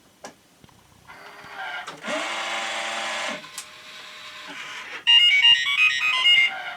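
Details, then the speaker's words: OmniBot 2000 robot with tray, in for repair, switched on after checking motor circuit connections: motor whir and clicks, then a bright run of high stepped beeps for about two seconds; normal startup beeps. "there's the beeps"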